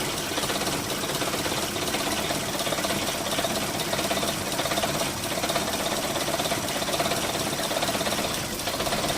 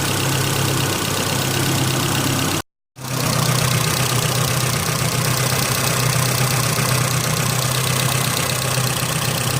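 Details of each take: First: Holden Rodeo 2.6 at a loud, busy idle with an uneven rump-rump stumble. A problematic mass airflow sensor is suspected after cleaning, but the cause is not confirmed. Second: Holden Rodeo 2.6 idling after MAF clean and throttle body/intake cleaned with degreaser, previously stumbling; now an even, steady idle with a smooth whirring, turbine-like sound of air through engine and exhaust, no misses or knocks: normal idle.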